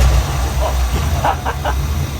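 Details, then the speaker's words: Dodge Dart V8, revived after lay-up, ignition module had been wired incorrectly, one spark plug removed to check spark: uneven loping idle with hollow stumble; running on seven cylinders, one dead. "Okay, yeah, we got spark and it's running on 7 cylinders because this plug's not in the car."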